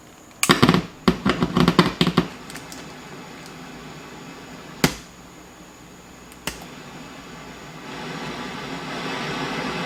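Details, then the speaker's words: 1971 JCPenney 1758 solid-state stereo, diagnosed with a signal tracer: after swapping the two transistors, steady hiss follows to the left channel and the right goes clean; the transistor from slot 18 is the noisy culprit. "left channel has noise now right channel's clean guys we found it okay so we swapped those two resistors those two one more time those two transistors and the noise moved from the right channel to the left channel and now the right channel is okay"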